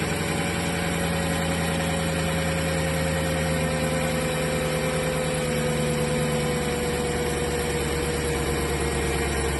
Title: clicking noise